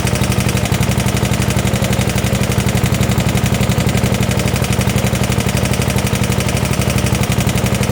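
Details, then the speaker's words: 1972 Gravely 816 with Kohler Command 18, running after carb modification: steady heavy knock about four per second over rough idle, a deep bottom-end knock, possibly a worn rod. Motor judged pretty much blown up, likely why parked. "Well, that's never what you want to hear. Power steering is not really working either. It's knocking pretty good."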